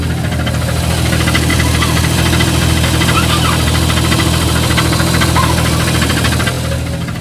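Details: Jeep Cherokee engine at idle: steady idle with a light metallic rattle-knock, roughly three a second, heard from underneath; loose flexplate (ring gear) bolts, to be fixed by tightening the bolts with lock washers or threadlocker.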